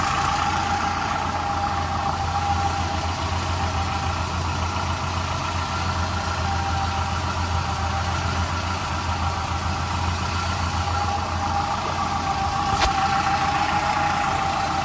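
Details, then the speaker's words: 1995 Nissan D21 Hardbody pickup after crankshaft seal repair; valves clattered at first start after sitting without oil, valve cover off; now even, steady idle hum, no tapping or clatter; idling cleanly. "But that's just because it had sat here with no oil in it, valve cover off and all. Sounds good now."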